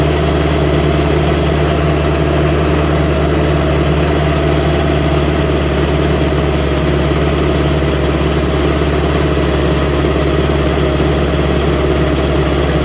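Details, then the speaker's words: Homelite UT08572 30 cc backpack blower running with extra fuel fed at startup: a constant high two-stroke drone with a faint buzzy rattle underneath and a brief power loss; cause not yet clear; internal rattle while running. "Um, it's got some rattling in it that makes me curious about it."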